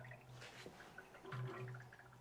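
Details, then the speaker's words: 1957 Chevy convertible with tunnel rams, warmed up with 70 psi oil pressure: soft, irregular bubbling and gurgling over a low idle hum, caused by coolant churning with the radiator cap missing. "What's that noise? Oh, it's missing a rad cap."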